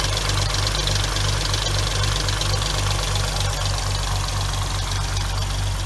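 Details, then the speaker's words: 2006 Hyundai Tiburon 2.7, 6-speed manual: fast even ticking about four per second at idle; replacing the lash adjusters later removed about 90% of the ticking. "we have a problem of getting clogged up not getting oiled correctly making a loud ticking noise"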